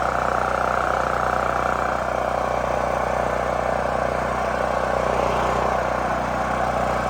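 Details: New Holland Agriculture 6500 W generator, previously seized after running low on oil, restarted with fresh gas, valve cover and spark plug refitted; settles into steady, even beat around three per second, no knocking or rattle; normal running.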